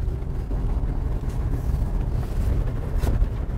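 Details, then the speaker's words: 2013 Toyota RAV4 cabin on a parking-lot drive over big bumps, after sound-deadening pieces were added to force the outer dash trim up: only a steady low rumble and wind buffeting, no dash buzz or tick; the car is rattle-free. "Brian's making that face it's proper not one bit of noise except for the not wearing seat Bel noise but we're in a parking lot even the big bumps even the big bumps is the customer happy yay"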